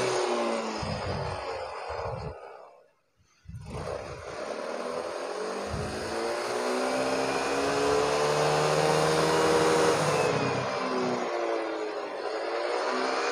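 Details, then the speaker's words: Yamaha Mio Soul GT 125 that hesitated as if out of fuel, with an O2 sensor fault code: after the TPS reset it revs cleanly and smoothly with no stumble, and response is back to normal. "hai hai ngomong-ngomong tarikan motor sekarang sudah responsif sudah normal kembali"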